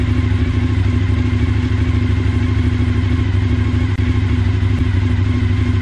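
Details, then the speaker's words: Suzuki SV1000 V-twin after replacing the badly dented fuel tank, started to check for leaks: even, deep thump at steady idle, exhausts sounding clean with no misfire or clatter; normal idle. "that's all good sounds lovely those exhausts"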